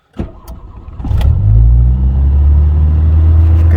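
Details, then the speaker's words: 1984 Dodge Daytona Turbo Z four-cylinder turbo, first start after floor, fuel system and timing belt work, in neutral: cranks, catches, settles into a loud steady fast idle that won't drop; owner suspects stuck IAC or vacuum leak. "high idle though i got to fix that like almost seems like the iac is stuck or there's a vacuum leak"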